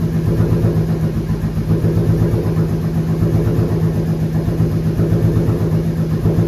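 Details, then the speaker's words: 2013 Ford Mustang Boss 302 supercharged build, first start after reassembly: lumpy, loud cold idle with steady low pulse and faint puffing edge; sounds like an exhaust leak somewhere, unconfirmed. "it kind of sounds like it has an exhaust leak somewhere"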